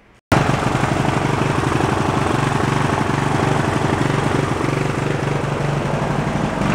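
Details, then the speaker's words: Junk lawn tractor's engine: catches abruptly and runs a slightly ragged, uneven beat, with fuel blowing out of the carburetor; only runs with choke on, so it still has carb issues. "[Applause] [Music] [Applause] yeah only wants to run up the choke on so definitely still has some carb issues with it"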